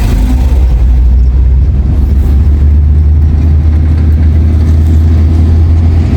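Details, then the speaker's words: Nissan Primera P11 after a gearbox rebuild for a bearing noise, water had got into the transmission; smooth, steady low engine drone with no whine, grind or clunk, in gear or neutral, clutch pressed or released; gearbox now normal. "araba viteste debraj basıyorum ses yok debraj çekiyorum ses yok sola doğru geçelim boşa alıyorum bıraktım debre değil ayağım ses yok Deja basıyorum boşken ses yok arkadaşlar aracım düzeldi"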